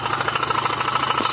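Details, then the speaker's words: Renault 1.9 F9Q diesel idling, wheel and undertray removed: steady quick light knock that vanishes when the belt tensioner roller is pushed; accessory drive, not a rod — possibly crank pulley, alternator rear bearing or A/C compressor. "Так стукотит. По факту это не шатун."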